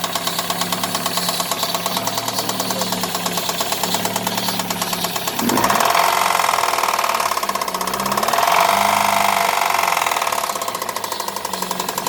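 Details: Daewoo Nexia 16-valve engine: rapid light knocking about three per second over idle, carrying through a rev, present both cold and hot; engine knock, source not confirmed.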